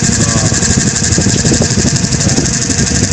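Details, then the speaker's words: Noisy clip fan plugged in and run before disassembly: a fast, harsh, gritty buzzing rattle over the fan hum, uneven throughout. The cause had not yet been found at this point. "Issue nito, maingay daw."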